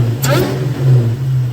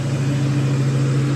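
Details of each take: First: Supercharged Ford SVT Cobra V8, warm, after swapping a twin 65mm throttle body for a single-blade throttle body to cure jerky acceleration: deep idle with two clean throttle blips and rising blower whine; smooth throttle response. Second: Warm SVT Cobra Mustang V8 after fitting an LFP Big Mouth single-blade throttle body, idling steady around 1600 RPM with a firm low drone instead of idling down; an air leak at the throttle body sucks in air, raising idle.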